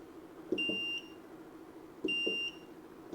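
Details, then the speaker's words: 6.5-liter ultrasonic parts cleaner with cleaning solution mixed about 6:1 while setting the temperature to 60 °C: short high beeps in quick pairs every second or so over a low hum; normal button confirmation tones. "We're gonna turn the power switch on in the back. Beep. We can set the temperature. That's a lot of beeping."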